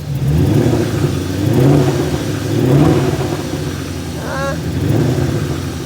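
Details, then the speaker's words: BMW E34 540i 6-speed with M60 V8, running: lumpy, uneven note through slow revs with no metallic noises; not running right, and the previous mechanic blamed a damaged valve, which the owner doubts. "So yes, it does still run, but it may be hard to kind of tell on camera, but if you listen to it, it's not all there. Like, there's definitely a problem."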